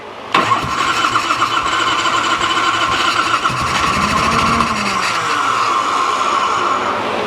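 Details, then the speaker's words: 1986 Harley-Davidson Liberty Edition Electra Glide Classic, 23,000 miles, unrun over a decade, choke up on a weak battery pack: long starter whir with a few weak firing attempts that never catch. Owner suspects weak spark from bad plugs. "Okay, maybe weak spark with those bad plugs, because she was wanting to come alive, but I had to stay on the starter, and I don't want to burn that up or the starter solenoid."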